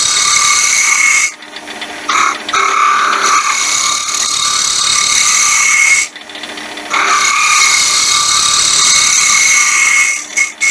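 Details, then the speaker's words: Wood lathe turning a thin 1 x 8 inch walnut honey dipper: high steady screaming over the cutting from the thin workpiece vibrating, chatter. "When you hear that screaming, that's vibration."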